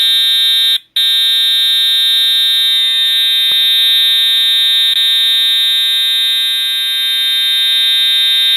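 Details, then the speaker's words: EST/Edwards Integrity 757-7A-T horn strobe on continuous tone, low volume, horn and strobe together: steady, piercing high horn tone without a break after a brief dropout; horn sounds healthy. "Oh Google turn off the light Oh Google that on the life that's really loud thank God I do the hearing protection on my ears now"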